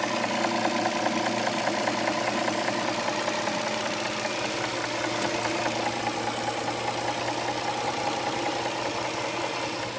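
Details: 2007 Dodge Charger 3.5 V6 at steady idle with a light knock about two to three times a second from the top end; oil level correct, owner suspects lifters or rocker arms, cause unconfirmed.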